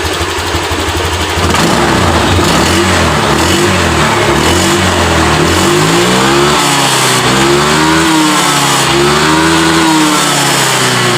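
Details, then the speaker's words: Honda Vario 125 LED, earlier losing power, stalling and sputtering, now after repair: crisp, clean throttle blips with pitch rising and falling smoothly, no stumble or misfire; injection duration about 2-point-something ms at 1400–1500 rpm; normal throttle response. "dan ini mesin sudah responsif untuk tarikan gasnya jadi langsung kita coba jalan dulu"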